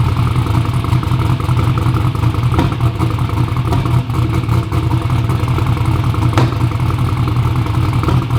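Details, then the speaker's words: "Black Sheep" V8 race car at first fire-up runs deep, lumpy and uneven with irregular pops and stumbles; misfiring and popping because spark plug wires were on backwards. Crank trigger was suspected first. "It was like, we got it to crank up, but it was just like misfiring and popping, and I don't know if you guys saw another video."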